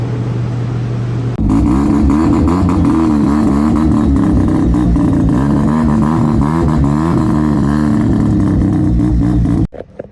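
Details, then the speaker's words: Rotary-swapped Subaru BRZ revving on test after tune, back to its previous 350 figure: loud, steady high-revving rotary buzz held at the top end about eight seconds, smooth and healthy; AFR rose as fuel pressure rose. "We're officially at what it made before. That sounded nice. It sounded healthy. Right at the top end."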